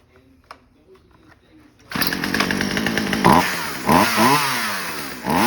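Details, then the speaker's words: Chainsaw after new fuel lines and a new carburetor: it fires after a quiet lead-in, settles into a crisp steady buzz and revs cleanly up and down with the throttle; running normally and ready for the customer. "That sounds pretty good. We will call the customer and tell him he's ready to go."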